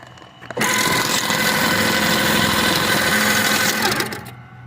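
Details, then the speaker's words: Rebuilt Fischbein bag-sewing pedestal with power in-feeder, electronic-eye bag sensor and air thread pusher at 80 PSI, sewing a paper sack: fast, even chattering stitch for about three seconds, no catches or knocks; normal sewing cycle, perfect stitch. "we're going to go ahead and feed our bag in so you can see the unit sewing"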